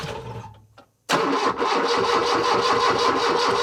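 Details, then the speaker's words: 1978 Lada Niva parked two years, after ignition timing adjustment, weak battery: starter grinds, then the engine fires for the first time unevenly at about three beats a second, stumbling and not quite settling into a run. "It seems as though I hit the nail on the head now, because this is the first time I hear it actually firing."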